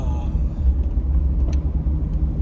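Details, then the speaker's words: 2007 C6 Corvette Z51, road test after replacing factory rubber rear sway bar bushings with polyurethane: only low steady road rumble, no clunks or knocks from the rear; the rear noise chased for 4 years is gone. "I have not heard the same noise that I've previously been hearing. It's gone."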